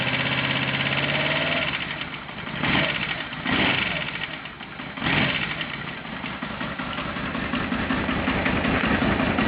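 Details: Aprilia RSV V-twin at idle with a few throttle blips, lumpy beat and a rough, uneven clatter over it; strange abnormal noise, cause unknown.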